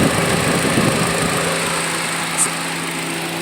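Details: 2006 Nissan Altima 2.5 with crank-no-start, after replacing the crankshaft position sensor: steady, even hum with constant low tone and no misses or knocks; idles smoothly, running about 30 minutes without cutting off.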